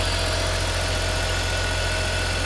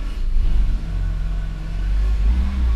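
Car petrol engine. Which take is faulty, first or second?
second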